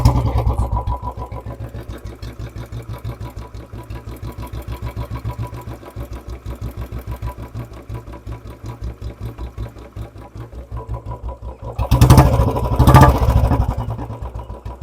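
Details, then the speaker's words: Royal Enfield Bullet 350 BS4 single-cylinder: slow, uneven thumping idle that sags and wavers as if about to die; lean mixture idle, too little fuel going in, so the carburetor setting must be adjusted. "क्योंकि ना इसके ऊपर setting आपको करनी पड़ेगी भाई क्योंकि तेल कम जाता है"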